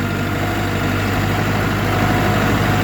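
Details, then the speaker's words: 1980 John Deere 450C bulldozer in reverse: heavy diesel runs steady with a faint, even whine over it, louder than on the owner's other machine. Fluid is not low; owner suspects it may just be from lack of use. Mild transmission whine in reverse. "The only thing I've noticed is it's got a little bit of a whine compared to our other one when in reverse. I'll let you hear it. It's not very loud, but there's a small whine."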